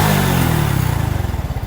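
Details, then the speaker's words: Honda Revo fuel-injected motorcycle with pressure tester fitted; single-cylinder engine revved up to the limiter, firing beat rising to a fast even pulse without misses, reaching the limit slowly; normal revving. "Dan napas untuk putahan mesin itu tidak terlalu cepat untuk mencapai limit."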